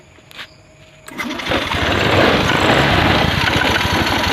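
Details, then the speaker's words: Honda Scoopy FI after replacing a weak CKP sensor (pump and dirty injector already fixed): starter whirs briefly, engine catches at once and settles into a steady, even idle with no misses; normal start. "langsung menyala ya. Oke, jadi reel ini adalah sensor CKP lemah."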